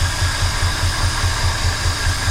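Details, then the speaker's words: 1968 Ford F100 Ranger V8 long abandoned, six plug wires pulled: lumpy idle with heavy evenly spaced thumps about five a second, running on 2 cylinders and seemingly smoother than on all 8; carburetor judged good, cause unconfirmed. "That thing's idling on 2 cylinders. Y'all tell me what's causing that. That's a good engine to run on 2 cylinders. I think it's running smoother than all 8 of them hooked up."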